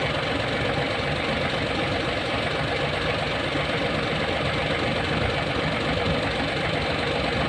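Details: Hino 700 with E13C diesel, low power, rough idling and hard starting: heavy idle with an uneven lumpy knock recurring a bit over once a second; misfire from malfunctioning injector #5.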